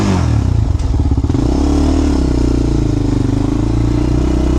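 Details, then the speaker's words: Honda 400EX single-cylinder quad: after a short blip it settles into an even, steady idle with a clean exhaust beat and no knocks; runs fine. "Let's see what it sounds like. All right, seems to run pretty good."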